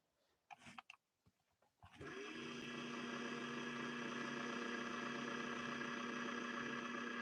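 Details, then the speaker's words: 1961 Singer 401A sewing machine with a very dirty, gritty clutch release and smoke coming off it. The motor comes up to a fluttering hum far below top speed, picking up slightly but weak and struggling; cause suspected, not confirmed. "nowhere close to top speed but it is it is picking up a little bit now we're still getting smoke off of there"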